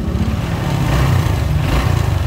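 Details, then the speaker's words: Honda Wave RSX 110 (2010–2011) after replacing the worn cam chain with a modified "VIP" cam chain tensioner: low, even engine patter at idle with no ticking or rattle from the top end, running smoothly. "RSX rồi xe Wave RSX của em trai này sau khi xong để nổ đề máy êm không nha có đồ ra coi"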